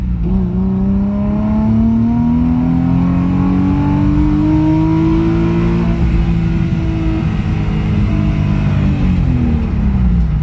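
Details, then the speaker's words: Nissan 350Z on a test drive after an exhaust leak was fixed; revs climb with a clean rising note and no puffing or ticking, so the exhaust sounds sealed and healthy and the car feels faster. "That sounds so much better. For you guys that watched the last drift event video, you should be able to tell that it had a gnarly exhaust leak."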